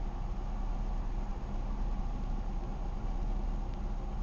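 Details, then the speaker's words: 2000 Chevy Malibu 3.1 V6 after fuel pressure regulator replacement: quiet, low, even hum with no lope or stumble and no rotten egg smell; running smoothly, normal idle. "good it's running smoothly it's running about like it did before the regulator went bad"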